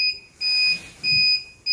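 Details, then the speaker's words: Fire alarm receiver panel, detector loop with no end-of-line resistor: a high, piercing buzzer pulses in short even beeps about every 0.6 seconds as the panel flags an open circuit (broken line). "그래서 저항이 없으면 얘가 단선으로 인식을 해 그걸 한번 볼까 여보세요 [음악] [음악] 단선으로 확인되잖아"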